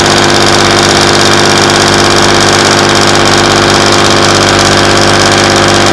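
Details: Class 117 DMU 51412 diesel, first start in 5 years after bleeding fuel air via the hand lift pump: steady, even idle around 500 rpm with a regular beat, no knocks or misses; healthy.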